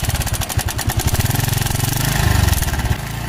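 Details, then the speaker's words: TVS Victor BS4 motorcycle after tightening the timing chain tensioner to cure a chain noise: an even, quick thumping idle with no rattle or clatter on top; the noise is gone and the engine sounds healthy. "Tester తో tight చేయగానే sound అయితే తగ్గిపోయింది కదా"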